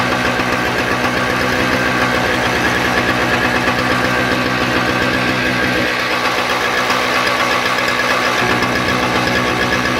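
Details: Toro CCR 2000 snowblower, Suzuki 4.5 hp two-stroke with Mikuni carb from around the 1990s, after repairing a broken ignition coil wire and clearing a blocked pilot jet screw: crisp, fast, even buzz at steady speed, no misses; runs cleanly.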